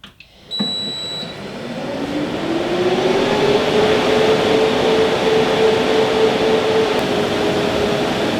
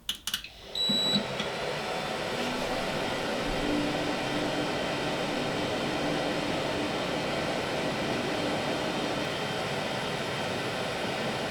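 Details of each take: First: New rack server with stock fans, about 65–66 dB in basement server room versus 48 dB room level: loud steady fan rush rising as fans spin up; loud stock fans before Noctua NF-A12x25 swap. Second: New server after swapping in six Noctua NF-A12x25 120 mm PWM fans for the loud stock fans: a short startup clatter, then an even airy rush at about 52 dB. The faint high whine is suspected to come from the power supply fans.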